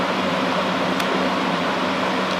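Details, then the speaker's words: Box fan Corsi-Rosenthal air purifier built with four 20x20x1 filters, running at full blast: even, steady rush of air with a low hum and no rattle or wobble. Not that loud, good suction, running smoothly. "And then this is how it sounds like and looks like at the end on full blast. So it's not that loud, and the suction is"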